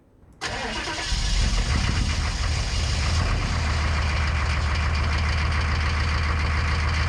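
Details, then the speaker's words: 1990s Chevrolet K3500 1-ton diesel on a bitter-cold foggy morning after the calibration resistor fix: short crank, catches quickly, settles into a steady even idle clatter; a little black then white smoke, a healthy cold start. "that wasn't actually too bad it was a little Smokey but it started with black smoke and quickly moved to White"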